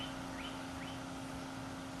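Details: Electric 58 PSI fuel-injection pump for a 1976 Corvette RestoMod, bench-powered from a separate battery in a fuel line test: steady low even hum, no surging or rattle, quiet likely because submerged in gasoline; normal operation.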